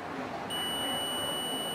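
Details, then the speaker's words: Android phone ringer (speaker) tested with a multimeter on continuity; clean, steady high-pitched beep with a reading of 8, within the expected 8–12 range, so the ringer is good. "तो कितनी आ रही, 8 इसकी value आ रही, plus beep की आवाज आ रही है, तो ये इसका रिंगर जो है वो सही"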